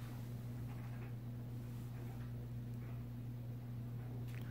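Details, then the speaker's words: Vintage Supreme Mk. I 52" spinner ceiling fan (Taiwan, stamped vented motor, 3-speed knob) on medium: low steady motor hum, no ticking or rubbing, bearings silent; medium a little slow maybe but airflow still good. "that's medium pretty good medium a little slow maybe but airflow is still good"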